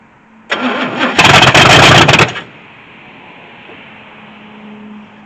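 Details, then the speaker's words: 1983 Chevy C10 squarebody, left 10+ years, no exhaust (manifolds only), unknown timing: cranking, then a couple seconds of loud open-pipe firing on gas poured down the carb before dying; brief catch, no sustained run. "Well, we know what happens. It's gonna try to start. Should have probably ran a little bit longer than that, but see if we can fill the bowl up through this hose."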